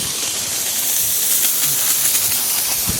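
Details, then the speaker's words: Zone 7 first blast of a compressor blowout, at the last head, which holds the most water because it is farthest from the valve: a steady high air hiss with spitting, sputtering bursts as the head keeps purging residual water. A second blast is planned. "Back over here, once again, that last head has the most water because it has the farthest to travel. Let it go, get out as much as possible."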